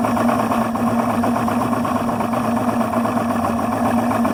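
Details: Yamaha 300 HPDI outboard idling at 400-500 rpm with a low, uneven, loping, slightly stumbling beat under a steady drone; rough idle, cause unknown.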